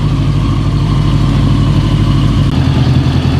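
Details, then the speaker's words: 1982 Honda Goldwing GL1100 after swapping a bad arcing plug wire: deep, even warm idle, temperature gauge up and radiator fan kicking on partway through; running really good, normal warm running with cooling fan on. "it is. Fan kicked on and working. I like it. Temperature's up. Looking good."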